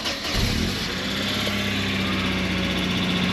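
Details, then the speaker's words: Mercedes 220CE W124, cold start with the MAF unplugged: a lumpy, slightly rough idle around 1100–1200 rpm, unchanged from when plugged in; the car keeps cutting out, and shorting wiring is suspected. "so it's rough but no rougher than it was [Music] revs are climbing [Music] and back down this is what it doing before so no different to when it's plugged in around about 1100 1200 rpm there"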